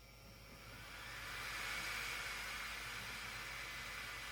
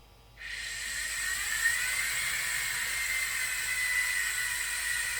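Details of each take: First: Bambu Lab H2D 3D printer with hotend set to 150 degrees, after replacing the failing hotend cooling fan: steady even airy whoosh with a faint high tone, no rattle or buzz; healthy new fan. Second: Bambu Lab H2D 3D printer with the hotend set manually to 150 °C, hotend cooling fan kicking on: a steady airy whir with a rough, wavering hiss on top; the fan bearing is failing, as confirmed by Bambu Lab, and the fan needs replacement.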